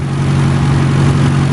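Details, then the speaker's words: 2002 BMW in Verona red, M10 four-cylinder, stored 3.5 years unused and possibly rebuilt in the 2000s. Steady, even low hum with no misses, knocks or ticks; idles cleanly and smoothly. "but honestly this is the smoothest running m10 i've seen in 18 months the car was garaged for the last uh we're stored for the last three and a half years no one driving it"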